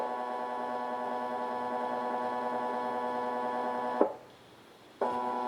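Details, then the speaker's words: AR3 robot arm kit stepper motor with a 14:1 gearbox, just powered on its driver during bench testing: a loud, steady singing whine that cuts out briefly and returns at the same pitch. It is very loud, especially when not moving. "That one is very loud. Especially when it's not moving."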